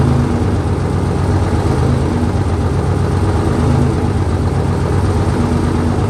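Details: 1968 Dodge C500 truck on a cool day, about 15° colder than before, started via jump from another truck and starting fluid: deep, steady low rumble at an even speed, no knocks or misses; idling smoothly.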